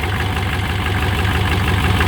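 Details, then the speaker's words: GM 6.5 diesel truck, slow 30–45 s start, new relocated PMD: heavy, lumpy clatter at idle with uneven loping beat, seemingly excessive blow-by and white smoke, surges after a few minutes; rough idle, cause unconfirmed. "As you can see, it runs extremely rough."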